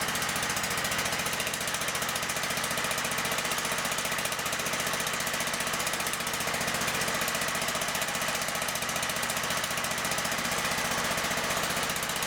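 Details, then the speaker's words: John Deere STX38 mower, Kohler CV12.5 single-cylinder, after replacing a camshaft with a worn exhaust lobe. Running about 1800 rpm for a five-minute cam break-in: a steady, crisp, even fast beat with no tapping or misses. Healthy. "it's running about 1800 rpm right now and that's what we need to run it for five minutes that'll break in the camshaft"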